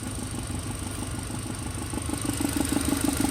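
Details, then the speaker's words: VW/Audi secondary air injection system at steady idle: with vacuum removed, exhaust puffing about three times a second continues from the combi valve tube, "still open, still open", before finally closing; combi valve sticking open, not returning quickly. "still open still open still open now it's closed so that combi Bell is not returning quickly"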